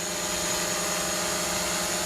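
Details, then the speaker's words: DJI Mavic Pro hovering with three broken propellers: several buzzing rotor tones sit slightly apart and shift unevenly as the motors constantly adjust. The props are out of balance, and the owner expects faster battery drain. "So I have a feeling you're going to eat battery at a much faster rate because the motors are having to constantly adjust."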